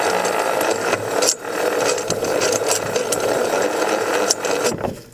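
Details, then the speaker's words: Murray riding mower transmission, bottom cover off, turned by hand: dry irregular rattle and grind inside the case; something broke free inside the roughly 2-year-old transmission, acting up in third gear, chipped gear suspected. "It's not a belt. I pulled the bottom cover off. Bruce, you want to give that a spin? Something broke free inside that transmission. I can hear it grinding."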